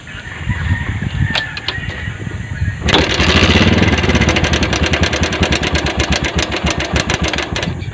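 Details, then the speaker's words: Bajaj CT 100 motorcycle, before teardown: the engine starts and settles into a loud, rattly idle with a fast clatter on every firing pulse. The mechanic suspects the cam chain tensioner or chain guide and will also check the timing chain. "ayun mga pre, kung naririnig nyo, maingay mga pre pagka ganyan mga pre, ang problema nito, bagamat hindi pa natin nabubuksan, ang problema nito mga pre, tensioner or chain guide."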